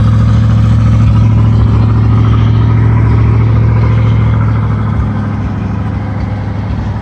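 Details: 1973 GMC motorhome with an Oldsmobile 455 V8, idling after a cold start following a few weeks of sitting: deep, even burble at steady speed that settles smoothly, with no misses or stumbles. Normal idle.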